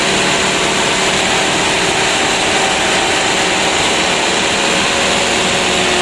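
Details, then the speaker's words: Mitsubishi Canter 125 PS Super Speed diesel after new injection pump and governor spring/throttle bolt adjustment, revved: runs steady and picks up cleanly without misses or knocks; decent throttle response. "Untuk gas-gasnya lumayan"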